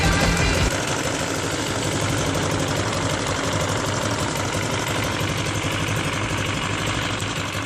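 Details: CRZ 150 SM motorcycle bought at 550 km, noise present since new: light, uneven tapping about four times a second over idle; caused by a missing spring that retains the camshaft gear shaft.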